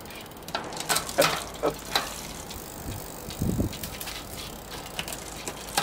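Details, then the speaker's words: Shimano RSX bicycle gear shifter repaired with penetrating oil, without disassembly: crisp separate ratchet clicks as gears are taken up and down, each shift landing cleanly with no grinding; shifter now working properly. "Bon, alors voilà, comme vous pouvez le constater, les vitesses maintenant passent correctement."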